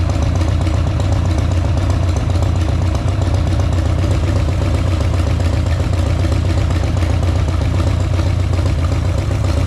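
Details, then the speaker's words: Harley-Davidson Sportster V-twin idling with a deep, uneven lope and a repeating knock of about four a second from the front cylinder; owner suspects the hydraulic lifters knocking, possibly an oil issue. "Возможно это реально стучат гидрики сильно как они стучали до этого возможно реально дело в масле"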